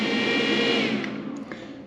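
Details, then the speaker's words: Vtoman Jump 1800 LiFePO4 power station, AC output switched on: short smooth cooling fan whir with steady tone that fades and settles within two seconds; normal fan noise as fans turn on. "lined now yes you get a little bit of noise as the fans turn on we'll talk about the fans here in a minute"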